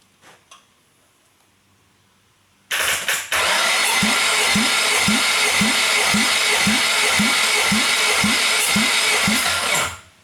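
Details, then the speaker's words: Nissan SR20 engine, intended for a Sentra swap, cranked for a compression test; even starter cranking with steady compression pulses; this cylinder reads about 125 psi. "Damn, that one was going up towards 150, or 125 rather."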